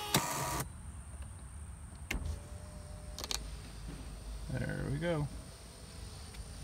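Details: Mercedes 300D parts car after the battery connections were reworked: a short, even power window motor whir rising as the glass rolls up and stopping cleanly, with no grinding or binding. The window works normally.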